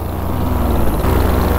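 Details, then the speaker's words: Vittorazi Moster 185 paramotor with Walbro carburetor in flight in thermal conditions: low, uneven two-stroke drone under wind rush, pulses not steady; running rough, owner feels it is running rich and plans to lean the mixture. "yeah dang the motor is just running like this rough"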